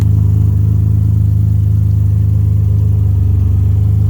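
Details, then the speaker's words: Alfa Romeo 156 running during a pre-purchase inspection with no exhaust fitted: a very loud, deep, steady drone with a fast throb; the car is not road-legal without the missing exhaust. "now as he's got no exhaust on it I'm not taking it on the road because it's not legal to drive"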